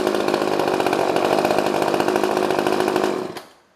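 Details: Old pre-1990s two-stroke chainsaw: steady, even high buzz for about three seconds, then dies away; the saw runs cleanly.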